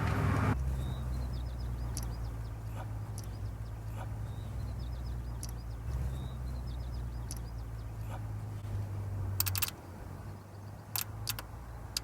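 Low engine drone that dips and surges unevenly instead of holding steady; sputtering from a failing fuel injector.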